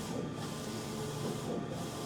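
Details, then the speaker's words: Cobraflex King Cobra commercial DTF printer on its daily startup test print, starting the white layer: soft hissing whir with even carriage passes about every 1.5 seconds; normal printing. "Now, you can see it's proceeding to start printing the white."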